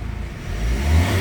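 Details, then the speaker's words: Hyundai Accent CRDi diesel, final start after repair of a no-click, no-crank, no-start fault traced to a faulty socket: engine catches on one click and settles into a steady, even low diesel rumble; a clean, healthy start. "Start tayo. Testing lang. Test mic. Start. Boom! One click."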